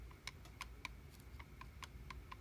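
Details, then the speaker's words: Mercedes 190SL Solex carburetor, which someone had worked on before, throttle rocked by hand: about nine sharp, light metallic ticks in under three seconds. The throttle shaft has play from normal wear; another throttle shaft is tight. "And you can hear the slop in the throttle shaft. All right, normal wear there"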